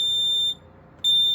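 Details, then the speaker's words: Kidde PI9000 dual-sensor smoke alarm (rare Nighthawk-text version), test button pressed with a pretty new battery: shrill half-second beeps with half-second gaps; test tone works but sounds slow, possibly due to the battery. "That is pretty slow. It might be because of the battery though. It's a newer, pretty new battery."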